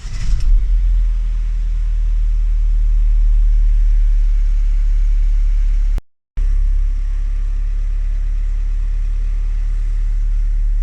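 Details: 2016 Ford Transit Connect 1.5 TDCi (DV5) diesel after top-end rebuild following snapped timing belt, with new rockers, lifters, camshaft, belt kit and water pump, after repairing charging wiring connector: fires right away, low steady idle, no knocks or surging.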